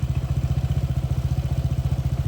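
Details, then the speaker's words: Honda PCX160, 2021, over 70,000 km, idling with spark plug cover open: fast, even ticking about thirteen per second over the idle throb from a loose spark plug and cap; pushing it tight silenced it. "กีกๆๆๆเลยนะครับมันดังที่ตัวนี้นะครับตัวหัวเทียนตัวสายหัวเทียนผมก็ไม่รู้ว่ามันคลายออกมาได้ยไง"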